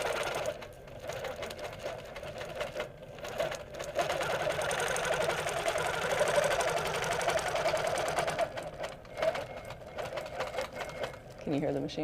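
A steady, fast stitching rattle with a faint high squeak riding on it; the machine squeaks as it sews, source not pinned down.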